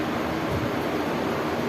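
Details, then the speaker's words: Window AC fan motor that made noise after one or two minutes of running, now reconnected after repair; steady even whoosh of air, no squeal, scrape or ticking; spinning freely and running normally. "अ की motor आपके सामने चल रही है हां बिल्कुल ठीक है और कोई साउंड वगैरह भी नहीं आ रही है इसके चलते चलने देते हैं"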